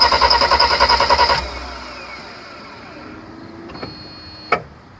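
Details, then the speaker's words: 1991 Mercedes 300SL with restored fuel pressure: starter cranks steadily then stops, no firing or catch, fuel smell and air heard coming in; crank no start, fuel apparently not getting through injectors, cause unconfirmed. "So, getting the fuel up. You can hear the air coming in. But why is it not going through the damn injectors?"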